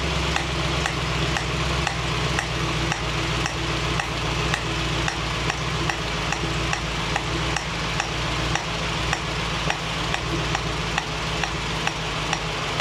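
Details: 1965 Mustang GT Convertible running after installing a Tuff Stuff 7068K 140 A alternator, fan on: a new steady sizzling hiss with faint regular ticks, seeming to come from the carburetor; cause unclear.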